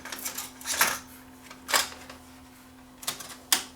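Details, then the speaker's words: JVC KD-V300 cassette deck: thin steady low-pitched squeal under handling clicks, confirmed coming from the hub inside the cassette itself, not the deck; squeaking cassette hub. "that was the tape the cassette was squeaking I wonder what that was all that noise coming from it was actually the consent itself"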